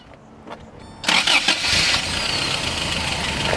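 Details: 1985 Toyota SR5 4x4 with the fuel-injected 22R-E 2.4L four-cylinder, freshly rebuilt by Yota 1 with only a couple thousand miles and a recent valve adjustment, on the original exhaust: brief crank, catches cleanly, and settles into a smooth, even idle with a bright top-end hiss; healthy start.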